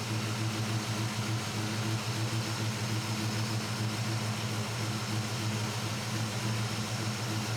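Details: Chevrolet C10 truck with carbureted V8, warmed up, after adjusting idle mixture screws with Carb Cheater toward about 14.1 idle AFR: steady, even idle with a smooth low rumble and no hunting or surging; normal idle.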